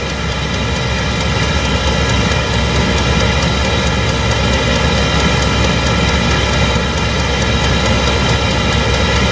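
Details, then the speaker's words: Chinese diesel greenhouse heater on a 12 V battery, warming up and starting to give heat, with the fuel pump clicking: a steady, even roar with a constant fan hum and no pulsing, popping or surging. It is burning cleanly, running normally. "now it's uh really gathering speed you can tell how quick it is you can hear that clicking that's that's your pump"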